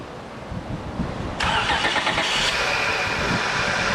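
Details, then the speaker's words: 2006 Acura TL 3.2L V6 at first start after timing belt and water pump replacement: brief crank, then it catches cleanly and settles into a steady, even idle. A leaking power steering pump and bad idler bearing were noted afterward. "look at that boy I have to tell you man that thing sounds fantastic"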